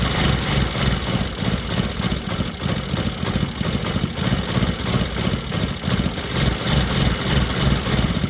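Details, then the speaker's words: Old Bajaj Pulsar single, first start after carburetor refitted, on a very cold day: lumpy, uneven low putter about three beats a second, running only on choke and dying when accelerated; carburetor out of adjustment, needs setting. "Bike चल तो गई पर अभी ऐसा है कि carburettor की setting करनी पड़ेगी क्योंकि सिर्फ चौक पर चल रही है और एक्सीलरेशन करने से बंद हो जा रही है"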